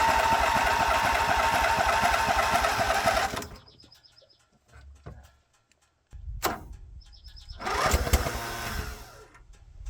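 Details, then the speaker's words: Vintage Wacker RD880 roller compactor that sat about 10 years, jump-started from an 8D boat battery: after pops the single-cylinder engine fires and runs hard at a quick, even beat with heavy shaking, then is shut off; it runs properly. "holy smokes it runs shut it off before it vibrates itself to pieces I love it awesome"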